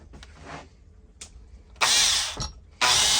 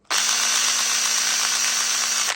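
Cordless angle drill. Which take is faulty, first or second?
second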